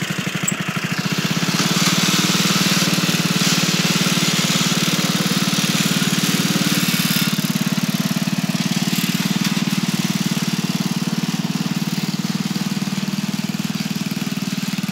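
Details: Dynamark riding lawnmower, single-cylinder, starting after sitting 25 years: carburetor cleaned, jets adjusted, air cleaner cleaned, new spark plug, gears somewhat worn. It fires up and holds a steady, even putt at about 220 beats a minute, running smoothly without stumbling; normal running.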